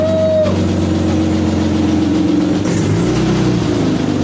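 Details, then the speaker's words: BMW E30 first start in months, up on stands with the exhaust just refitted after transmission and driveshaft repairs: the petrol engine revs with a loud, raw, raspy note from a huge exhaust leak. "The E30 has a huge exhaust leak, but it's alive."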